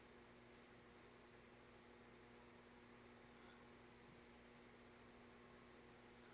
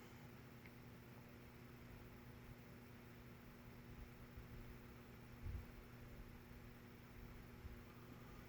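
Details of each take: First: Vintage Nutone 52-inch friction-drive Verandah ceiling fan, spinner motor conversion, starting on a solid-state speed control: steady low electrical hum with a fixed tone near 230 Hz; the solid-state control makes the motor hum, so it is judged unsuitable. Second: Nutone 52-inch friction-drive verandah ceiling fan converted with an Air Cool spinner motor, running on low speed: a very quiet, low, steady hum with a faint even whir and no rubbing, ticking or wobble. The motor runs smoothly.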